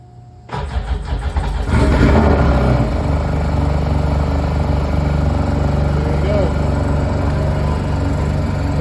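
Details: Sea-Doo 951 DI RX, reported locked up, jet pump removed and found seized, very cold, weak battery: brief crank, engine catches within a second and settles into a steady, even idle with no knocks; engine fine, fault was jet pump.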